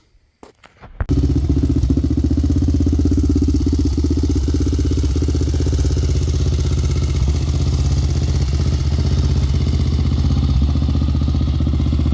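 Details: Honda 400EX quad, suspected of a stretched timing chain or faulty tensioner, first start after parts replacement: it catches and settles into an even single-cylinder thump of about four beats a second, no rattle or knock. Running well after the repair.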